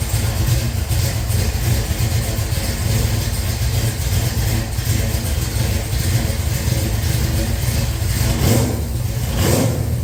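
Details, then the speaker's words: Henry J engine with an old GM HEI module replacing the bad new one and a Sniper tune just started: after an adjustment screw was turned, a clean start settles into a steady low rumble at an even idle with slight speed rises. "Okay, that was a great start. That we're getting really close and honestly, we haven't done anything but turn a screw."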